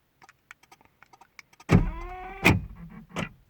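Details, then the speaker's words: Car central locking fault, front door lock motors: light ticking clicks then harsh buzzing whirr in short bursts; door lock actuator chattering, now happening constantly, central locking module not responding. "iki motor ön kapıları motoru orjinal Roma parpar motorlardan mı yapıyor bilmiyorum bir kişi bu iki motorda zırıltılı ses yapıyor bazen"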